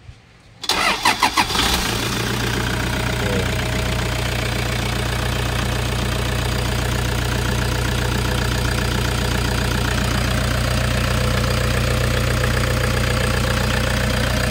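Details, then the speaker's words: Toyota Hiace GL engine started during a preventive maintenance check: it cranks quickly, catches at once and settles into an even, steady idle with no knocks or misses. No oil spitting or blow-by seen; the engine is in good condition. "yung andar ng Toyota Hiace mo, sir. Wala naman tayo nakikita ang talsik or sign ng blue by ng iyong makina. So, goods na goods pa yung engine mo."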